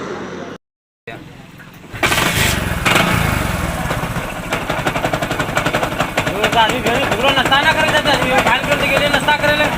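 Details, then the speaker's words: Hero Passion Pro motorcycle: starts after a short gap and runs with a loud, uneven clattering rattle over the idle, too noisy to ride; mechanic suspects a problem on the magneto side. "Hello दोस्तों जब मैं इस bike को start करता हूं तो engine से गड़बड़ जैसे आवाज आती है बहुत ज्यादा आवाज आती है"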